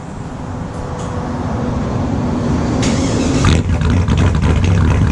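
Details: 2002 Silverado with a built LS, cold start after sitting since Friday: a loud, deep cold idle with a steady, slightly lumpy beat of about four per second, all cylinders firing normally.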